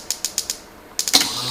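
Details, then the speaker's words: Early Bronco TBI Megasquirt conversion tested on the bench, distributor spun by hand: crisp evenly spaced injector ticks about eight per second, relay clack and fuel pump whir; injectors and pump working normally. "you hear the fuel pump moving at the same time i don't know if you can hear that but the injectors are pulsing too at the same time"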